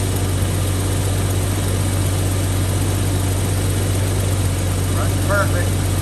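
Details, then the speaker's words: 1991 Jeep Cherokee XJ 4.0 six-cylinder petrol engine idling after a spark plug change: steady, even low rumble with no misfires. "One, no misfires. Sounds great."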